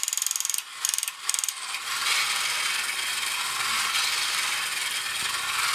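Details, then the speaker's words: Early-1980s Kamco Saturn/Iron Man toy robot gearbox running on battery during refurbishment. Light rapid ratchet clicking, about three per second, over a steady high gear whir as the clutch alternates between display and leg gears. The gearbox runs healthy. "which allows this to move away from the gear that turns the display and then reconnects to the gear that makes the legs go. And it starts the process all over again."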